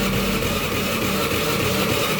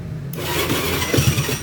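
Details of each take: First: Honda Beat FI that is hard to start on the electric starter but starts immediately on the kick starter: it cranks with the throttle held open and roars unevenly but won't catch and settle into a steady idle. Ignition is to be checked next. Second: Honda BeAT FI scooter that started poorly on the electric starter but fine on the kick starter, after replacing the weak aftermarket pulser: brief crank catches at once and settles into a steady, even idle; normal quick start.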